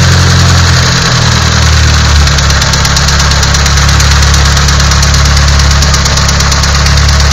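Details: Nissan SR20DET at idle: loud idle with a sharp knock ticking about three times per second over the rumble; engine knock, cause unknown.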